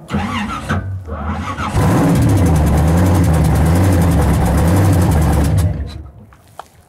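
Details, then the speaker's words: 1967 Pontiac Firebird 400 supercharged V8 pro street drag car, hot at the track: catches and runs with a lumpy, uneven beat and regular stumble; firing on seven cylinders because a spark plug was left out. "we might be rushing a little bit I just fired it up on seven cylinders Joe forgot to put the spark plug back in that's that noise they run better with eight"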